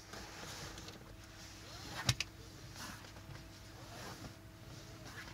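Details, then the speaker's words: Tesla Model S P100D power window on the good side, for comparison with the other side that rubs and screeches after a rattle repair: soft even motor whir with one light thump at the stop, no screech; normal. "on the other side you don't hear the same noise"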